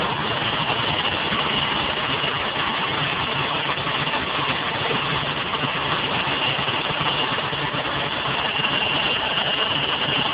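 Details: Ford Taurus engine idling just after a cold start, with a loud, harsh, high, steady squeal riding over it.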